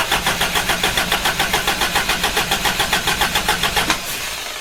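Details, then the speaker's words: Hilux after body swap, first start attempt, low fuel: steady starter cranking about 3.5 beats a second with no catch, then stops; ballast resistor limits coil current, fires only when resistor is bypassed straight to the coil. "cranking no start there and then as soon as I put that on to there or hold it on there which I can't do and hold the camera' at the same time it fires"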